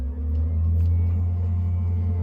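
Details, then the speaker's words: Navien NPE-2408 tankless gas water heater after cleaning a clogged air intake screen that had caused no hot water: deep, even, steady burner roar with no sputter; normal burner operation. "it's going through its startup like i said it was given e110 sounds like it's about to work these are pretty quick too so"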